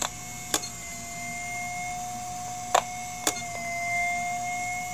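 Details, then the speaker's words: Failing IBM Deskstar hard drive that cannot load its firmware after spin-up, heard through an electromagnetic pickup coil: sharp isolated clicks at irregular intervals over a steady spindle whine, with motor dips. Heads retract to the stops and retry. "so that's the heads moving back to the position back to the stops and then trying again"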